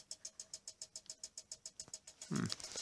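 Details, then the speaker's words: Faulty eBay Sega Saturn reading a Sega Rally Championship disc. Sharp, high ticks repeat about seven times a second with a short buzz near the end as the CD drive clanks, seeking and failing to read; the scratched disc is suspected, not confirmed. "like it's having problems there. Probably because the disc is all scratched up. Sega Rally Championship. But as you can hear, it's clanking."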